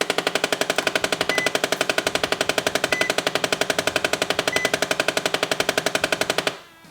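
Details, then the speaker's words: 2008 Nissan Xterra Off Road at startup: rapid, loud machine-gun-like clicking from behind the dash, about four clicks a second, then stops. HVAC blend door actuator, located behind the lower glove box. "If you have that blend door actuator sound when you start your Xterra, sounds a lot like this."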